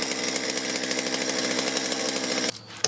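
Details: Stihl chainsaw that was hard to start and bogged, warming up with the carburetor at factory settings before adjustment: high, buzzy two-stroke note firing evenly for over two seconds, then shut off; normal running.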